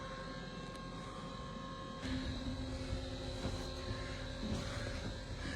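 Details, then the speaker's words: Acorn 130 straight stairlift, up button held: after a few seconds' delay a quiet even motor hum with a faint steady whine sets in and holds smooth; healthy drive. "So I'm pushing it up. It does take a few seconds for it starts moving, and away you go."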